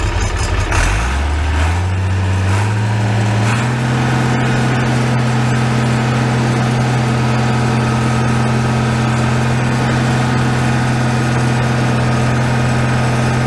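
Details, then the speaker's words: Farmall 806 tractor with a new MCV pump, just after a hydraulic filter change, possibly air in the system, a little throttle: engine settles into a steady even idle with only slight hydraulic noise; normal hydraulic pump noise. "there's a little bit of noise, but isn't too bad."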